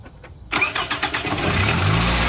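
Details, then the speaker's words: 2009 Toyota Camry 4-cylinder, high mileage, after replacing the cylinder 3 coil pack for a misfire with flashing check engine light: quick crank, clean catch, steady even idle, no misfire and no flashing light; the broken wiring harness still needs replacing. "The car is not misfiring anymore. There are 0 check engine lights flashing."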